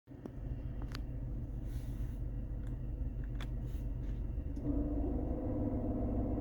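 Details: BMW E46 318i idle, just recharged with freon after passing vacuum test: stray clicks then rough droning hum as AC engages; strange noise with AC on, cause unclear.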